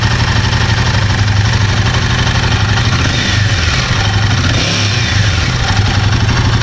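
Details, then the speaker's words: Himalayan 450 Sherpa single-cylinder idling unevenly, with the timing chain tensioner being swapped as a possible fix: a fast, light top-end ticking of about four a second. Owner suspects the valve train or shims and plans to open the head later. "Top of the head makes a ticking, and that is clearly that would be clearly the valve train business."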